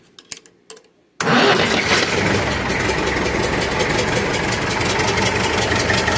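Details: Massey Ferguson 65 tractor after battery replacement (old battery couldn't crank it): a few clicks, then engine cranks, catches at once and settles into a steady, even idle; starts readily.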